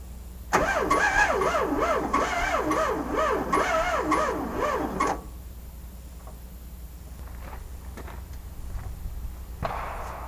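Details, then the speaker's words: VW Sterling kit car, 12V engine in 6V transmission: laboured, slow uneven cranking without catching, even with extra battery; bellhousing clearanced for 12V but starter bushing not changed, so starter drags; fixed with self-supporting starter. "well I think I know what's wrong um somebody's got a 6vt transmission in here you probably machine the bell housing out to fit the 12vt flye but they didn't change the bushing and the starter end on a 12v is smaller than a 6V"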